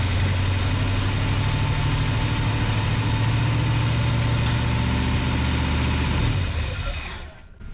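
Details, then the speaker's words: Chevy 454 big block off the road since 1998, first run with carburetor and electric fuel pump fitted: deep, steady, even idle rumble, then shuts off; healthy-sounding V8. "oops freaking thing runs sounds good"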